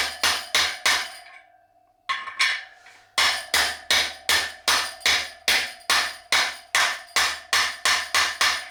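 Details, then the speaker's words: KTM dirt bike wheel bearing being hammered in: steady taps two or three a second, later blows ring sharper and more solid, metal on metal, as the bearing seats against the lip; bearing fully seated. "And you can usually tell, I don't know if you heard there, but when it's seated, there's a change in the sound. There's a change in the sound, because then what you're doing is you're tapping the metal of the bearing into the metal of the little lip, and you hear that change in sound."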